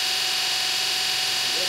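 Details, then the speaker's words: Kostov 11-inch DC series interpole EV motor on the bench after new brushes and brush ring, during run-in before fitting to car: smooth steady high whir, even brush hiss, no rubbing or knocking; normal running. "so and there you have it things running smooth and actually not terribly loud"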